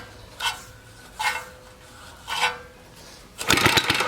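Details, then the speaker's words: Free 1953 reel mower with a Briggs & Stratton 5S single-cylinder engine, spark test: three quick rope pulls, each a brief whir with no firing. No spark; the points probably need cleaning or replacing. "Nope. No spark. All right. Probably needs the points either cleaned or replaced."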